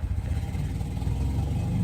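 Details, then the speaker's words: Honda Integra after installing eBay 550cc injectors and addressing a cylinder 4 issue, not yet warmed up: deep, lumpy, wavering idle, better and snappier than before; rough idle, owner suspects it may need ECU tuning. "it's a little rough. It may need a little bit of work on the ECU side, but it seems to idle a whole lot better and it's a lot snappier than what it was before."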